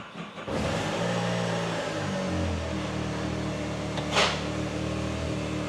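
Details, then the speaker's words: Can-Am Maverick R after removing and refitting a part held by a hard-to-reach bottom mounting screw. It catches after a short crank and settles into a steady idle with a clean rev; everything works, nothing abnormal. "okay everything works okay"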